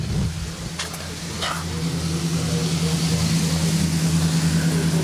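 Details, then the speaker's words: Vintage Crompton Parkinson electric motor after cleaning, on test: loud steady low hum with buzzy edge, no burning smell, pins not hot; drawing 12 A instead of rated 2.15 A, owner suspects partially shorted run winding, though hum may be normal. "I don't smell any burning, so that almost sounds like it's a partial short, or it's partially shorter with a hum like that. Could just be the way it is though."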